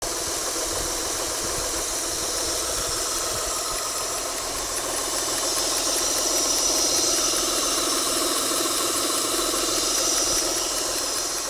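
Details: Mitsubishi Galant at idle: faint, constant airy hiss over the engine near the intake manifold, sounding like an air leak around the intake.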